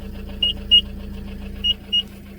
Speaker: हा कस hand brake ओडलेला आहे ना त्याच्यामुळे हा आवाज येतो पहिल्यांदा म्हणजे त्याच्यामुळे समजत की हँड ब्रेक ओडलेला आहे गाडीला